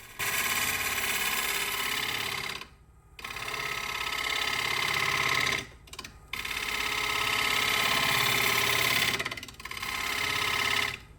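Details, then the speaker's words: Wood lathe turning a punky spalted oak bowl: rapid rattling chatter, about three hits a second during each cut, stopping between passes; knocking traced to a loose wood screw chuck, absent when a screw plate was used. "Trying to get that chatter out of it. So this was the point in the video where I had gotten beyond frustrated about how I couldn't eliminate that chatter."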